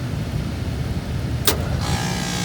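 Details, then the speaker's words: York 3-ton heat pump at a restaurant, not cooling, with a clogged return and iced-up indoor coil: blower fan hum steady, then a brief thump as the compressor kicks on with a harder drone; suspected low refrigerant charge, leak check planned. "goes our compressor. It's kicked on."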